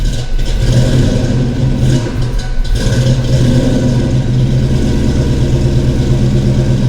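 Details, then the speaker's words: Ford 5.0 small-block V8 Foxbody Mustang, rebuilt Kenne Bell 2.1L supercharger, 42 lb injectors, bigger MAF, first start, throttle blipped: lumpy, uneven bursts never settling smooth; cylinders 2 and 4 cold, possibly two dead. "So, upon further investigation, cylinder 4 and cylinder 2 are cold. 1 and 3 are hot, and 5 through 8 are warm."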